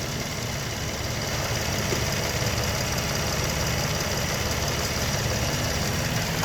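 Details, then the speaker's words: 2004 Toyota Sienna after water pump and timing system reinstall: steady, even idle with soft smooth hum, no knocks or ticks; engine relearning its position and settling into normal idle. "If you listen to the motor running, you can kind of hear that it's starting to relearn its position. Some newer motors will do that."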